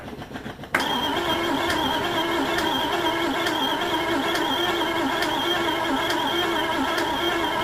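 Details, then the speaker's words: 1971 Triumph Stag 3.0 V8 manual, barn find, first start attempt with the starter wires shorted: the starter whirs steadily with a rhythmic churn of three to four beats per second, turning over but never firing. "Well, crank's over. Well, so by that rationale then, yes. Yes, guys, it turns over."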